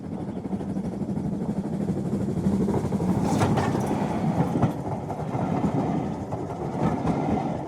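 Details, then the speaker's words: Hornby T9 model locomotive running on track after a motor replacement fitted with an imperfect-fit replacement bracket: fast, uneven clatter and rough drone, much louder than before. Being run in to bed the brushes; the owner notes the gears may wear faster. "but it also means that she works and she is running but she's certainly not the quiet girl she was but you know it's okay it is what it is"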